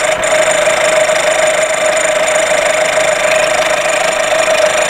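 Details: VW Golf VI 1.4 TSI (CAXA) at steady idle with a fast, light ticking rattle and a constant mid-pitched tone; not normal, with the high-pressure fuel pump suspected but unconfirmed.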